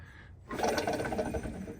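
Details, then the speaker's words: Craftsman DLS 3500 riding mower deck: an idler pulley taken off and spun by hand gives a dry, rough grinding rattle that fades as it coasts down. This worn bearing was the source of the loud deck noise. "I took this pulley right here I just took this one off it went right there but listen I mean that's what my noise was right there so that's terrible"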